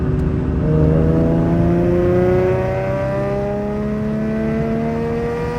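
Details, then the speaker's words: Infiniti G35 V6 just fitted with PPE long-tube headers and a Motordyne Shockwave catback, first start: smooth, even exhaust note whose pitch climbs and settles cleanly on each rev, no knocks or rattles, normal revving. "I got the PPE headers. Sounds great."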